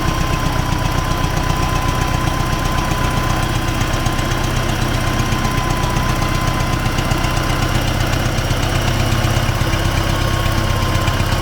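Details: T-40AM tractor diesel crossing a field ditch to test the differential lock, about -14°C after standing a month; steady chug with a regular low knock about four a second, engine knock source undetermined.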